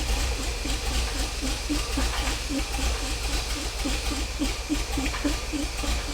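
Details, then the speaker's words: 50-year-old petrol engine of a 1975 Bedford truck, first start, on heavy choke: uneven, lumpy beat near two pulses a second with irregular pops; running rough from ignition timing well off, improving as the timing is corrected. "all right that was definitely starting to run a little bit better there the time in was quite a way off"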